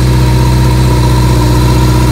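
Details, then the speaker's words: 1982 Kawasaki KZ1000M CSR motorcycle, 7,884 miles, rebuilt carbs, new oil, filter and plugs, choked at about 5 °F: smooth even four-cylinder idle, steady drone, no knocks or ticks, no smoke; normal idle. "But there's no engine smoke. There's no engine noise. We just changed the oil in it, the filter. Got new plugs in it. It sounds really, really, really good."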